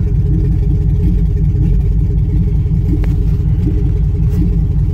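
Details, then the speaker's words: 2005 Chevy Tahoe 5.3 L V8 with P0300 and low power, new plugs, wires and coils fitted: deep uneven idle with an irregular stumble about once a second; bank 1 misfire traced to a clogged catalytic converter from a bad bank 1 sensor 1 oxygen sensor. "still I can hear it and feel it no no trouble code system normal so everything's gotta be good right obviously not"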